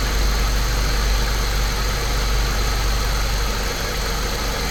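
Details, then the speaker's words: Saab 9-3 Turbo, believed 2005, after a service and ignition coils refitted for a slight misfire, camera on top of the engine: steady, even idle with a smooth low hum and no stumble or miss; running cleanly. "I've set the camera on top of the engine so you can kind of get an idea of how smooth it's running."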